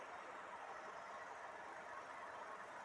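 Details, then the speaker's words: 2014 Honda Civic engine running after a worn drive belt was replaced: fast, dry rattle in the whirr from the belt tensioner pulley shaking. "e reparou barulho que barulho DNA pessoal barulho do esticador tensionador da correia ele fica chacoalhando quando a correia said tá"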